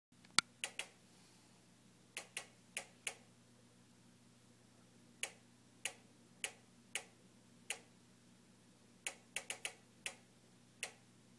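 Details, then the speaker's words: Newly purchased JennAir gas stove randomly ticking for a minute straight, continuing after being turned off, no burner lit; sharp irregular igniter clicks, one or two a second; repairman visits haven't fixed it. "this is the sound of my jenn-air stove newly purchased which randomly makes a ticking noise we've had a repairman here three times and they can't fix it so far it's been ticking for a minute straight"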